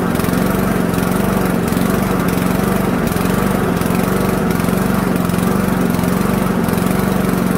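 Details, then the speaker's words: Toro lawnmower with a 159cc Toro (Loncin) TXP engine, a Honda GCV clone, warmed up on its original spark plug: revs rise and fall in a slow repeating cycle. Surging from a plugged idle jet in the carburettor. "so you can most definitely hear a surge um in this motor I'm going to change the plug and we're gonna see if the search goes away"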